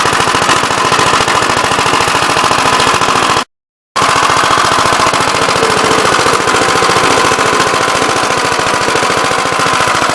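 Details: "Big Blue" 53 L single-cylinder engine after a plate patch on the cylinder, outside on a windy 24-degree morning: hard, fast bark at roughly three and a half beats a second, firing steadily with no misses. The oil pump leaks.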